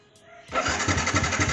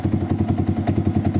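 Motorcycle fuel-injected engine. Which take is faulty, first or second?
second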